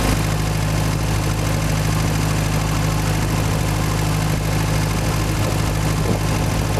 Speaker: there's a starter we're under way 60 pounds of oil pressure cruising it 1500 rpm water 10 to 1 30